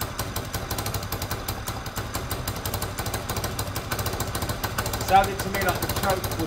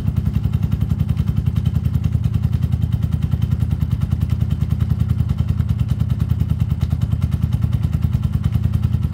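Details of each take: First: Peugeot Tweet 125cc scooter after new top end: uneven idle with a sharp puffing chuff on each firing pulse, exhaust blowing; part not yet bolted up, so air suspected escaping there, not confirmed. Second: Peugeot Tweet 125cc scooter with new top end fitted: owner says earlier it took ages to start after sitting; automatic choke connected. Steady, even putter with a clean regular beat, no misses or cutting out; running healthily.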